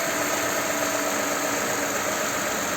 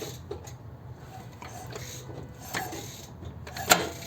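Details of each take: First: Toyota/Lexus RX350 petrol V6 after VVT-i phaser (cam phaser) repair, restarted after sitting about 20 minutes and several cool-down restarts: even idle with steady hum and faint whine, no start-up rattle; phaser lock previously failed to hold. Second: Lexus RX350 VVT-i cam phaser, chain turned by hand under the hood: scattered sharp metallic clacks as the phaser snaps back; its lock pin isn't holding, a cause of rattle at start.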